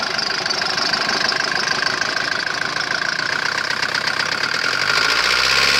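Diesel idling with a hard, sharp clatter repeating about three times a second over the engine note; there is a knock, cause unknown.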